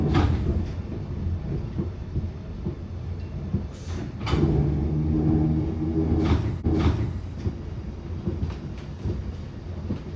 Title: Bakerloo line 1972 stock Continuous popping sound after departing Stonebridge Park September 2022